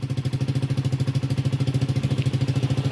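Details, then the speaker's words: Honda Supra GTR 150cc fuel-injected motorcycle after top overhaul and new clutch lining, being tuned; scanner shows engine speed RPM at standard; steady even single-cylinder idle about three pulses a second, no knocks or misses, normal idle. "Yan ang tinatawag na engine speed RPM minor. Ibig sabihin ang RPM niya nasa eksakto."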